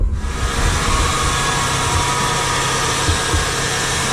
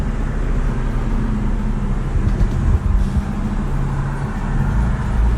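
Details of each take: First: 2000 Nissan Maxima cold start just after Injen cold air intake install: steady hiss with faint high whine over engine drone; source unknown, pulleys suggested by others. Cause not confirmed. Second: 2000 Nissan Maxima with only an Injen cold air intake added, driving after warm-up; deep throaty rumble rising and falling under throttle over road noise, no rattles or misfires; clean normal running under acceleration.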